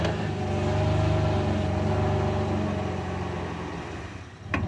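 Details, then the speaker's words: Pickup truck after new rear brakes that had a slight metallic grinding: rolling slowly after reversing to let the brakes self-adjust, only steady low engine and drivetrain hum, no grinding or scraping; brake noise gone. "it's a i can't really i can't tell i think it's gone yup we're good"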